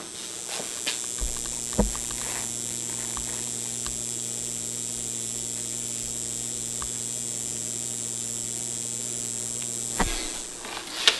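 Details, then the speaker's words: NuTone 801T low-voltage transformer held up to the microphone buzzing: steady low mechanical hum starting with a click, holding evenly, then cutting off. "I'm going to turn it on and then I'm going to hold it up to the microphone so you'll be able to hear it. And let's see. Yep, buzzing away."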